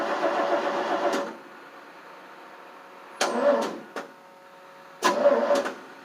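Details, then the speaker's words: 1988 FMC 6000 with 5-speed, battery weak and boosted: three short weak starter bursts with no firing; crank no start, later found not getting fuel to the carb. "This is getting hard to start right now. It's not liking me today. What the heck are we going to do? Thing's not wanting to start today."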